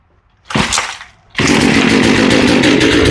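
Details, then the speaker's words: Small chainsaw with a freshly rebuilt carb while the high-speed screw is adjusted by ear: a short rev dies back, then it screams at a flat, strained pitch without four-stroking; the high-speed mixture is lean. "And then if you rev it up, you heard how bad that sounded revving up. Back the high screw in or out, and just keep trying it."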